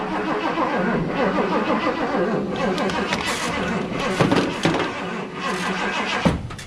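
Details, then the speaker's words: 1978 Ford F100 with a low battery on a jump pack after the exhaust was sealed; it would not run, and the starter churns unevenly and keeps cranking after key-off. Owner suspects the starter; the pickup coil is also suspected. "well that's weird maybe this thing is causing the issue cuz I turned the key off and this thing kept on cranking so maybe the starter still was the problem the whole time"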